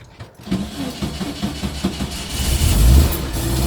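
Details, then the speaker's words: VW T2 camper with ICT34 carbs (no choke, accelerator pumped first, electric fuel pump), cold start: several uneven cranking beats, then it catches and settles into a rising, steady low rumble; an easy, clean cold start. "not really hard to start. You just got to let it warm up a little bit before you take off. Let the oil get around the engine."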